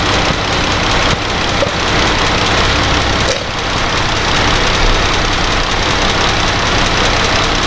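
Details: Dodge Grand Caravan 3.6 V6 idling while warming up during a coolant change and air bleed, cooling system open, before the thermostat opens: even idle hum with a faint fan whoosh behind it, no knocks or misfires; steady, healthy normal idle.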